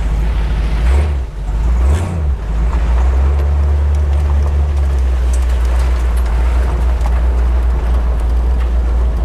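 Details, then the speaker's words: Jeep CJ-7 V8 with a carburetor, driving once warmed up. Deep, even rumble with no misfire or stumble. Normal warm running. "I was worried about the motor not running but man once it gets warmed up it that sounds pretty good"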